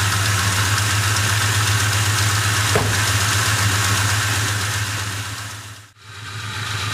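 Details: Ford Mustang GT 2V V8 at idle: steady fast tick near 230 per minute over smooth low rumble; owner suspects loose passenger-side timing chain from faulty tensioner or worn chain guide, unconfirmed.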